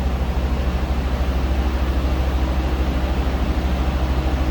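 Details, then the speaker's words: 1972 Mercedes-Benz 350SL, 4.5-liter V8, mileage exempt, heard from the rear: deep steady burble, even pulse about 158 per minute, no misses or ticks, shortly after cold start; normal idle. "that's what you'd expect at a 72 4.5 liter"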